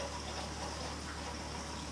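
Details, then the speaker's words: New Navien NCB 240 boiler installation start-up, purging the baseboard heat loop: steady rushing, hissy water flow through pipes with air still trapped in a heating coil. "got some air in a coil just a final journey for the purging"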